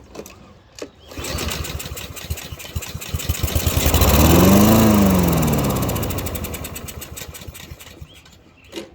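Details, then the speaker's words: Free Husqvarna lawn mower with stale old fuel, fresh fuel added and a few drops poured into the carburetor: engine fires, revs a few seconds, then fades and dies; carburetor fuel starvation, likely clogged carburetor needing cleaning. "you can see right there the thing will run as long as we can get the fuel to it so we're gonna go ahead and take this carburetor apart real quick and clean it out"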